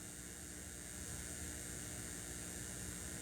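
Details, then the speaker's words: Crate CA series acoustic amp, all gains at 0, master volume at 3 o'clock, no signal: quiet, steady, even hiss with a faint low hum; noise floor showing white noise. "Now it's at noon, straight up. Hopefully you can hear that white noise."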